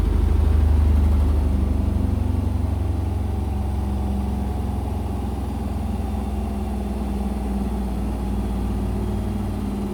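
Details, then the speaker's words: Indesit BWE101683 washing machine in high spin on a spin-and-drain after a 1000 rpm push-and-wash cycle: heavy low rumble pulsing about three times a second, shaking and sounding like a train. The spin is unbalanced, which the owner attributes to the uneven floor beneath the machine. "and it's shaking again the washing machine shaking and it sounds like a train again sounds like a train again"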